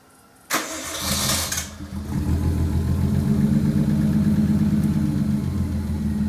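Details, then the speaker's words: RB-powered Skyline R30 drift car starting after sitting for years, after possibly corroded earths, missing plugs and vacuum lines addressed; short crank, quick catch, steady even idle, no misfire or knock; normal start and idle. "there you have it y'all drift cars started and I'm gonna Live Another Day to burn some more paint off with some burnouts"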